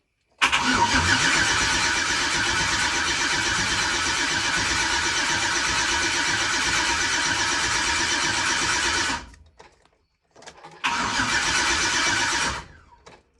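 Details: Turbocharged Silverado engine rebuilt with ARP rod and head bolts, first start in garage, loud with trans cover plate off: brief crank, catches and runs steady, stops, then restarts cleanly; healthy start.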